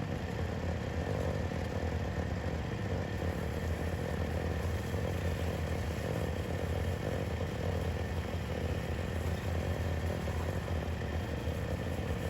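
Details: Yamaha YFZ WR450 478 hybrid quad after a head gasket repair, with no more compression leaking into the coolant: steady, even single-cylinder thumping with a smooth idle and no knocks or misses, the engine running healthy.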